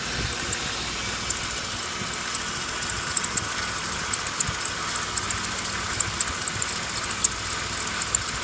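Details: BMW E36 with M50B25 engine and air conditioning, running: thin high-pitched chirping squeal pulsing irregularly about once a second; owner suspects a failed belt pulley/roller in the belt drive, cause unconfirmed.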